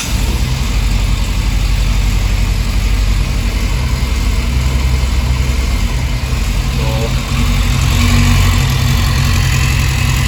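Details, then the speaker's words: Yamaha FZS600 Fazer after clutch plate replacement and cleaned, re-gapped spark plugs: steady even four-cylinder idle with a clean rev blip, no clutch rattle or chatter; rpm needle steadier than before, runs normally. "बिल्कुल ठीक है जी कोई आवाज नहीं आ रही फिलहाल जो clutch plate की हो तो फिलहाल ठीक है और आरपीएम की सुई भी पहले बहुत ज्यादा ब्लिंग ब्लिंग करती थी अभी थोड़ी सी नॉर्मल हो गई है"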